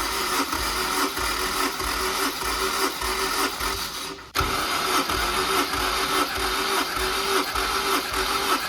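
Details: Honda S2000 (AP2), almost 190,000 miles, cranked after compression test showing solid numbers; even starter churning about two beats a second, two long cranks with short break, no catching; healthy balanced compression, normal cranking.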